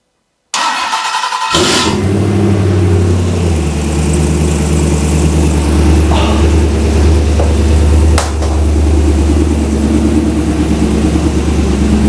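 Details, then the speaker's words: Ultima RS kit car, 6.2 L LS3 V8, first-ever start in a closed garage: brief crank, fires on the first turn of the key, then settles into a deep, steady, even idle; healthy start. "success on the first turn of the key now that's what I call a result don't you sound nice"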